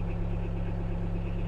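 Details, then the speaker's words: Sherp ATV diesel started from the backup battery with the start button, in neutral with the handbrake on: a low, steady drone with an even beat and no knocks or misses. Normal idle. "нажимаем кнопку запускаем двигатель двигатель заработал кнопку отключаем"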